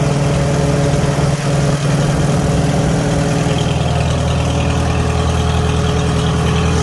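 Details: 1949 Farmall H gasoline four-cylinder: steady, even low putter at idle with no misses, pops or ticking; idling smoothly and healthy.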